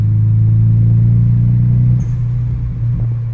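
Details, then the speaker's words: Nissan 180sx (J4 ECU, blacktop) after front-mount intercooler, MAF and O2 sensor replacement and rerouted wastegate line: deep, steady, even idle with no misfire; running healthy. "But yeah, we're good now. This car is running amazing."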